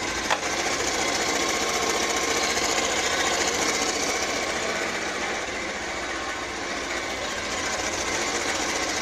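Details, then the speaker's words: Bajaj Pulsar 150 cc motorcycle after timing chain noise repair, engine cold: steady even idle with light regular valvetrain tick and no chain rattle; sound now normal. "तो दोस्तों आप देख सकते हैं इसकी जो शूल है वह कैसी आ रही है आप बिल्कुल सही हो गई है इसकी जो साउंड है वह बिल्कुल सही हो गई है ना"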